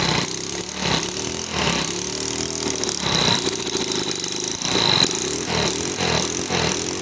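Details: 139QMB scooter engine after full rebuild with new crankshaft, unknown untuned carb, no filter box: loud single-cylinder putter with uneven throttle blips, no knocking or rattles; running normally.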